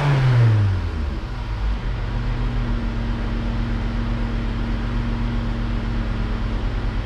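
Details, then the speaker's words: Vauxhall Insignia after a coolant temperature sensor fault repair, cold engine with gauge reading 50 degrees; quick crank, catch and short rev, then a smooth, steady idle with no bogging; sounds healthier than before. "that sounds a lot better as well a lot more healthier no bogging on the button"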